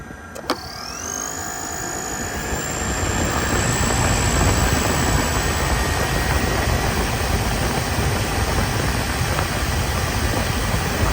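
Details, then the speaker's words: 2021 Toyota Sienna electric A/C compressor, heard by touching the compressor body: high whine sweeping up within two seconds then holding steady pitch over radiator fan rush as it cycles on; normal operation. "I'm gonna move the phone and I'm gonna touch the body of the compressor so you can hear the electric compressor kick off and you can hear the electric compressor kick on."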